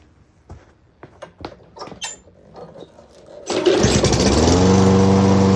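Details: 2011 Craftsman lawnmower 247.371240 after its carburetor was cleaned twice and the spark plug replaced: a few pulls and clatter, then it catches at once and settles into a steady, even run; the repair worked.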